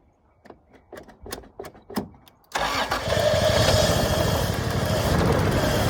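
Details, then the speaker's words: 1986 Toyota Supra, long-sitting, gas squirted into intake: slow uneven cranking then catches and runs rough a few seconds; won't keep running on its own, owner suspects fuel pump out. "Well, that did a lot better there, kitties."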